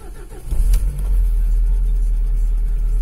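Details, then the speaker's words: Lada Largus cold start with clutch pressed: starter churns briefly, engine catches firmly and settles into a steady, even low idle without stumbling; oil warning lamp goes out, a clean start. "итак запускаем ларгус сцепа выжимаем сюда насосе как работал пуск"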